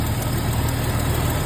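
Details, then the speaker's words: 1998 Jeep TJ after crankshaft position sensor replacement fixed a no-start, steady even low rumble with no knocks, misses or surges; normal idle. "All right. She seems to be running okay. Still got a long ways to go with this Jeep, but at least she's running."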